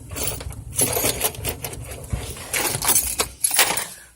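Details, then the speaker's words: 2018 Chevrolet Niva, 9,000 km: irregular sharp metallic knocks and clinks in the steering over every bump, with significant play; began after wheel alignment and worsened after the steering idler arm was replaced. Cause not yet found. "стучит на каждой кочке на всем подряд еще и люфт ощущается существенный"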